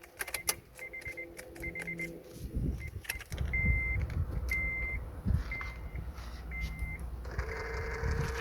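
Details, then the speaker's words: Honda Accord (CU2) folding side mirror after switching on car: short high buzzing whirs repeating about once a second, mirror fold motor straining when retracting or extending; suspected, not confirmed. "that's basically this button like for the the mirror to um to be able to come in and go out that's the sound whichever way you turn it that's the sound it makes"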